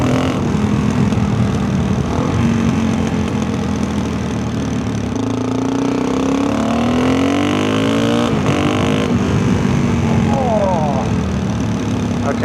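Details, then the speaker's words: Rebuilt big-bore dual-sport single with tuned carburetor, 340 km since rebuild, riding on snowy trails: revs climb hard and clean in rising sweeps at nearly full throttle, no misfire; healthy engine, owner considers a bigger main jet. "that was pretty much whole throttle and that thing rips"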